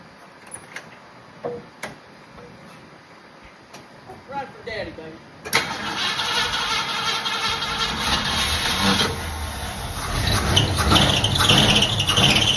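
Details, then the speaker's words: 1966 Ford Mustang 289 V8, sat unrun for years, tried with a battery and starting fluid: knocks, then several seconds of steady cranking without firing. No fuel drawn to the carburetor yet, checked at the clear fuel filter. "She wants to, but we didn't get fuel up there just yet."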